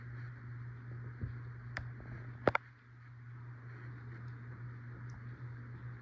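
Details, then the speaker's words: CEI HC-52 hugger ceiling fan, likely Sears, run on low, medium and high: a steady hum with a dry whirring and faint clicks from bearing noise that developed within the last nine years, plus noise from a slight wobble. Airflow is still okay. "It makes some bearing noise, and it wobbles a little bit which also makes some noise, and it blows okay amount of air."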